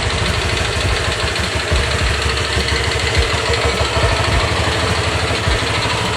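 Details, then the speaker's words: Honda Vario 125 new-model scooter engine: coarse, gritty rasp over an uneven idle, likened to a coconut grater, on a new bike; other owners report the same rough engine noise, cause not confirmed. "Ya, suaranya kasar banget kayak mesin parut kelapa. [musik] Tapi kenapa bisa motor baru suaranya kasar seperti ini?"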